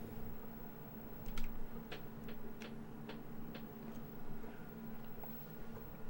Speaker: All right, now it's working. can see they're going tick, tick, tick, tick.